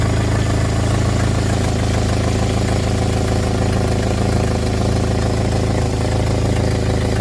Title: Jeep engine with exhaust leak